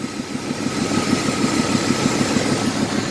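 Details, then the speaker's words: Ford F150 misfiring at idle; idle pulses about three beats a second with a faint steady hiss from a cracked vacuum hose, with a PCV valve leak also found. "oh yeah it's a little hose with a crack in it"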